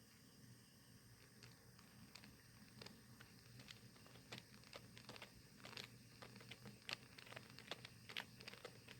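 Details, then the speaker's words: Anchovy-net camping steam boiler, water heated at the radiator plate, temperature 61°C: soft irregular pops and burbling over a low hum; normal at moderate flame, but repeated loud burbling means the flame is too strong. "부부부 끄는 소리. 이런 소리가 나요. 이런 소리가 이 정도 나는 건 상관없지만 이게 반복적으로 엄청 심하면 불이 너무 세다는 거예요."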